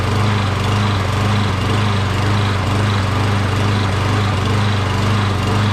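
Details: Briggs 12.5HP SOHV engine on a Poulan XT PXT12538 lawn tractor, possibly auto choke, long unused and just refuelled: starts right away but surges a little, note rising and dipping about twice a second. Owner suspects debris from sitting; smoothed out after about a minute.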